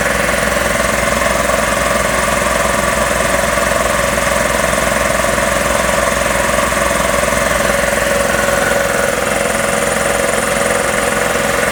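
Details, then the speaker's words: Magna Force air compressor after repairs, building pressure toward a 160 cutoff: even pumping thump of about 160 a minute under a steady motor hum; running normally. "at least we'll see once it gets to 160 and then a little bit after that it should cut off so let's see"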